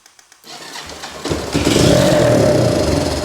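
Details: 1983 Kawasaki KLT250 three-wheeler, sat since last fall, started after carb cleaner sprayed into intake: a few cranking ticks, then the single catches and climbs to a steady, even run; fouled spark plug suspected as earlier issue; normal starting.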